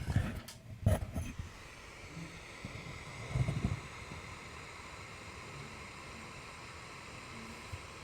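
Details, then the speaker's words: Computer cooling fan set to maximum constant speed, microphone held near the computer after mic bumps: an even, airy whoosh with no rise or fall; fan running at full speed, louder than at 3000 rpm. "now I'm going to drop it back to four thousand now I can still just hear it 3500 I can just barely hear that barely and back to three thousand and now I can't hear anything"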